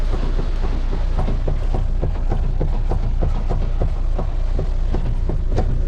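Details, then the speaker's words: Renault Kangoo 3 at 242,000 km, steering box completely worn out: sharp regular knocks, nearly four a second, over a low idle rumble while turning the steering wheel, heard with the door open; worn steering box, to be replaced. "Direksiyonu çevirirken tak tuk ses yapıyor. Araba 242.000'de."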